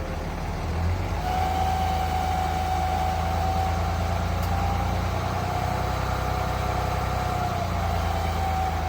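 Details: 3rd-gen Ram Cummins diesel at idle: a steady mid-pitched howl rides over the even idle clatter. The owner first suspected the turbo or fan clutch, but a stethoscope traced it to a bad alternator bearing.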